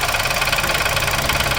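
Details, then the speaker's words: New Onix Plus LT manual at idle: fast, steady, sharp tapping over the idle hum when the brake is pressed, then brake released and clutch pressed; something inside actuates and keeps knocking, cause unknown, not noticed from inside the car. "e pinta de novo no freio e faz um barulho quando pisa no freio alguma coisa aciona aí dentro fica batendo"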